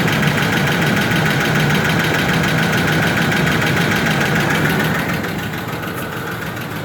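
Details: Ford F150 4.2L with an already rebuilt engine at idle: fast, even top-end ticking, about four per second, over a steady idle; cause not yet found.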